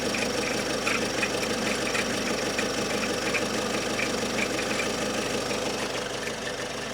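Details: Great Wall Hover H5 diesel idling with a clattery, uneven tapping that comes and goes at steady engine speed and does not depend on rpm; intermittent engine knock, cause unknown.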